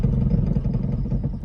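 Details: Toyota Prius petrol engine suddenly loud: rough, uneven low rumble with a loose clattering beat as it labours at crawling speed, quieting once it accelerates and runs smoothly. Suspected misfire involving ignition coil or spark plugs.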